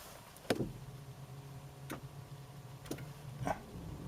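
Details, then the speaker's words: 2015 Ford Focus push-button start with clutch pressed: four sharp irregular clicks from the engine compartment over a low electrical hum, no cranking; owner suspects a faulty starter relay. "you can hear it clicking can't you you hear the relay clicking in the engine compartment so to me that's uh probably a relay a faulty relay"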